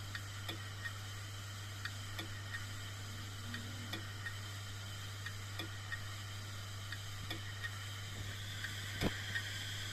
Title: 😭 HARD DISK CLICKING NOISE ( A DYING HARD DISK ) #shorts